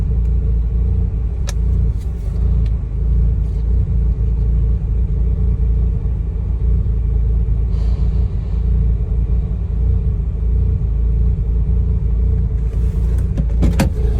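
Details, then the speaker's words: Mazda RX-8 rotary that stalled unless throttle pressed, during idle relearn after reset, about 10 minutes in: steady low idle, slightly uneven burble but holding without stalling, no throttle. "but hey it's idling that is already a good sign we're further along than we were before it's actually idling"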